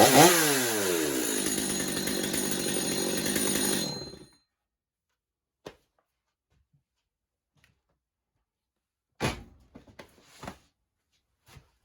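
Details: Stihl MS250 chainsaw, warmed up, after new clutch drum sprocket and air filter, pretty much bench tuned: clean steady high-rev buzz for about four seconds, then shut off; healthy, well-tuned saw.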